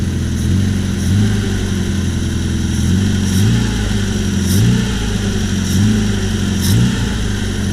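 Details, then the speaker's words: 1978 Triumph Spitfire that loses power, stalls and backfires when warm, with a new distributor: idling with throttle stabs, revs rising soft and hesitant; owner suspects lean fuel starvation, possibly a pinched fuel hard line, vacuum leak doubted. "So if I rev this, or turn it on, you hear how it's kind of revving weird. Going, oh, something's going on. If I stab it, I think that's a classic sign of not getting enough fuel. Too much air."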